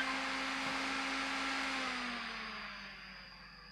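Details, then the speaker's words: Xbox One S that powers on then off, showing error E105, X-clamp removed: high fan whir speeding up, then winding down at shutoff; fan racing, suspected overheating from worn thermal paste. "while i'm googling it can you hear the fan speed really kicking up i think the thermal paste needs uh replacing"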